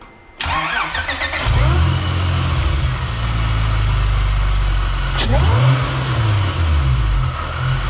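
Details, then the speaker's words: 2006 Acura TL with Comptech supercharger, test fire after fitting P2R adapter and J37 throttle body, before air filter: cranks, catches cleanly, settles to steady even idle; throttle response good. Normal. "well everything's sounding pretty good it's sucking in more air the throttle response is there so i could definitely hear that it's working good"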